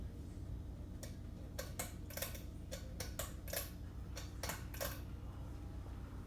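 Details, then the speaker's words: 52-inch Hunter Waldon ceiling fan running on a fairly high speed: steady hum with sharp irregular ticks every second or so; bad capacitor suspected, needs replacing. "yeah the capacitor is bad on this fan so I think that need to be replaced"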